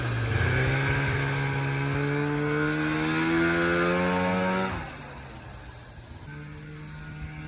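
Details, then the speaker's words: 1994 Polaris Indy 440 snowmobile, rebuilt fuel pump, air screw at 3/4 turn spec, airbox removed: two-stroke rises cleanly and quickly, pulls hard onto the pipe, drops off smoothly; healthy pull into powerband. "oh man I am so stoked right now you have no idea how happy I am that this thing is finally running good it's usable now it's coming onto the pipe"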